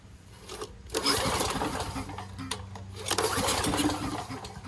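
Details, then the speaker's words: Generator engine after choke and governed-idle adjustment: two recoil pulls turn it over briskly but it never fires; the on/off switch was left off. "That probably will help if I had to switch in the on position now."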